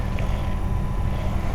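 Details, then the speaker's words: 2010 Toyota Tacoma regular cab HVAC blower on low heat setting: low steady whir with uneven fluttering rumble, less noticeable on higher settings; heat and AC work fine, blower motor itself getting noisy. "and obviously when you turn it up it gets faster and it's a lot less noticeable when it's on its higher [Music] settings so it's just on heat mode right now and then it kind of sort of went away and there it is coming"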